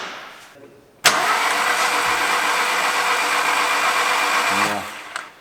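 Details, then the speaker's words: Skoda Octavia 2 with 8-valve BSE engine that won't start: starter spins the engine fast and evenly for about four seconds with no compression and no firing; timing belt snapped, mechanic suspects bent valves, oil pressure audible afterwards. "Valica: ah ... it's the oil. It's not leaking ... you can hear the oil pressure."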